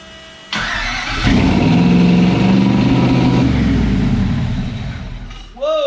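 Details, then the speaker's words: First start-up of a custom car build with eight-stack injection: it cranks, catches and flares into a loud, steady fast idle of 2200 rpm with the blades fully closed and never drops. There is a lot of air. High idle. "there's a lot of air you can tell that these blades are all the way closed and it's still wanting to run at 2200 rpms for a startup"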